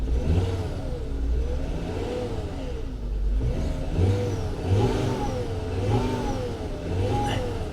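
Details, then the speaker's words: Turbocharged BMW salvage car: revs rise and fall with an uneven stumbling beat that doesn't clear with throttle; solid misfire in reverse and drive, owner thinks one cylinder, possibly a coil or spark plug. "so it's got a solid misfire like 100% reverse Drive"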